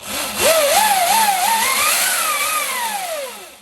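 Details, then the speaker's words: 72V Sur-Ron electric dirt bike after fitting a primary chain conversion kit replacing the belt drive; loud whine climbs in pitch with throttle and falls as it closes, loudest about halfway up; primary chain drive whine. "oh my god that's like that's like loud that's actually loud there's a certain point where it's the loudest like halfway up the curb"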